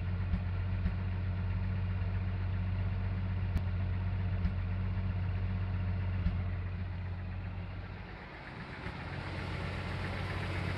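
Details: Full-size Jeep at idle: low steady idle broken by an occasional sharp pop or skipped beat every second or two; misfire from ash-fouled spark plug in cylinder 6, likely caused by a bad valve seal.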